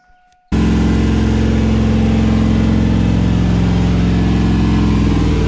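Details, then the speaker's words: 5.3 V8 truck engine with a Texas Speed 224R cam, first start, untuned, run around 2500 rpm for break-in. A deep, even drone pulling steadily with no ticking riding on top. The valvetrain sounds quiet. Normal running, no lifter tick. "I didn't hear any ticking or nothing. It was pretty quiet."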